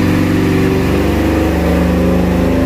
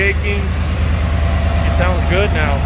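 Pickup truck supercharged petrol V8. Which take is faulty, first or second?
first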